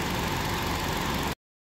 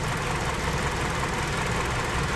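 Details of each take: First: 2005 Hyundai Sonata 2.4 petrol, 169,000 on the clock, after NGK plugs fixed a cylinder 4 misfire: smooth, even idle with no stumble or missed beats; running fantastic. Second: 2005 Hyundai Sonata, 2.4 L petrol, 169,000 on the clock, idling with an uneven lumpy low thump; misfire on cylinder 4, relative compression even, no spark on number four from a dead ignition coil.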